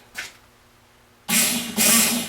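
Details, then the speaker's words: Newly wired 12-volt transfer pump for a big diesel tank, replacing a manual pump, tested indoors without hose: low hum and steady rushing hiss, running evenly; pump works, normal operation. "oh she works pumping all over the place freak better shut her off"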